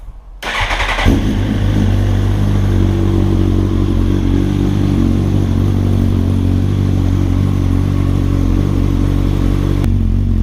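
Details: 2007/08 Suzuki GSX-R1000 test start after replacing faulty top fuel injectors to cure a low-end misfire below 8k rpm: engine catches within a second and settles into a steady, even run with no stumble; normal start and idle.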